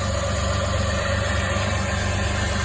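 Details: Vehicle that had a no-crank no-start, started with a used replacement battery: steady, even low rumble at idle with no misses or knocks. Cause was a dead battery; engine healthy.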